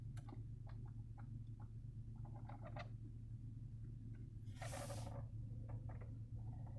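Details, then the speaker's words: Acura TLX: irregular clicks and a brief scratchy burst from behind the dash over a low cabin hum, heard after turning the heat on then off, the first heater use since summer; cause suspected, not confirmed. "i wanted to make this video i just got in my lady's car that turned the heat on and i turned it off and i heard a sound like this"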